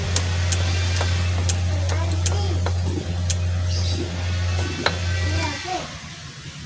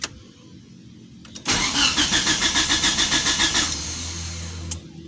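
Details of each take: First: Old Lancer GTI, 4G67 engine, non-starting after ECT replacement and injector cleaning, cranking with ignition coil unplugged: quick light injector ticks in bursts behind a loud low hum, showing injector fires; injector clicking while cranking. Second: Old injected Mitsubishi Lancer with a 4G67 GTI engine, after ECT replacement, injector cleaning, timing set, a burnt cable tidied and a blown fuse jumpered: even cranking at about 3.5 turns per second, no start. Coolant temp sensor faulty, owner suspects ECU error.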